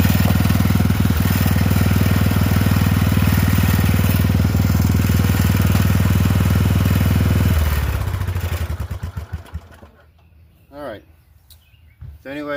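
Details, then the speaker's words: Poulan 12538 XT riding mower, 12.5 hp single-cylinder, 38-inch deck, final run after new carburetor fitted, brake on: steady even idle thump, then clean wind-down at shutdown; repair done, normal running. "we got it fixed."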